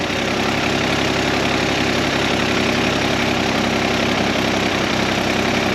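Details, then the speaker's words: Busy, uneven idle with a loose clatter; spraying near the carburetor base changes it, vacuum leak suspected from a loose or worn carburetor base plate, mounting bolts to be tightened. "because it's getting that extra fuel instead of air I guarantee you it's got a vacuum leak somewhere so we're going to see if we can find it it's possible this carbs just worn out and sucking air around the base plate or something we'll see"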